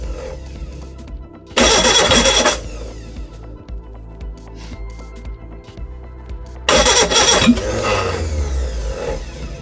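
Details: Reliant Regal Supervan 3 engine on the workbench, two harsh cranking bursts that catch briefly and cough back through the carburettor without running; two plug leads were swapped.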